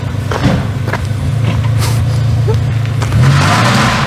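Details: Car revved after a turbo swap: deep, even note swells smoothly as throttle opens, no whistle, flutter or knock; healthy turbo engine.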